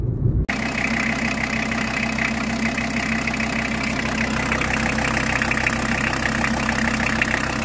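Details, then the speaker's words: VW T4 on a used-car check: an even, settled diesel idle with a steady rhythm and no knocking, rattling or misses; the engine sounds healthy. "motor ist klasse wie man hört"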